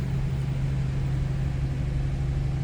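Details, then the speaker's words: 1990 Cadillac Brougham, 5-liter V8, automatic with overdrive, 55,991 miles, just after a cold start: smooth, even low hum with idle slightly high as expected, no knocks or misses; normal cold-start fast idle. "That was a cold start too, so we may have a little higher idle here for a bit."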